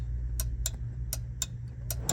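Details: Club Car gas golf cart that wouldn't start, key on in neutral: six crisp clicks over low hum after bending neutral micro switch arm out with screwdriver; switch now clicking normally and cart runs.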